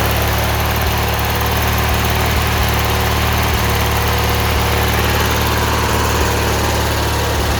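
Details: 18 hp Murray V-twin riding mower, after carb cleaning fixed rough idle and surging: even, steady idle with a smooth low rumble, no hunting or surging; normal idle.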